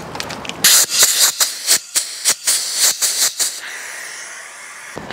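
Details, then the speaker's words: Pressure test, out of the car, of the welded radiator from a Ferrari-engined Alfa 105 with its holes blocked off using old gauges: sharp, uneven puffs of high hissing air with no engine running; air escaping through weld leaks, two on one side and one on the other. "And I have leaks on both sides. I have two on one side and one on the other."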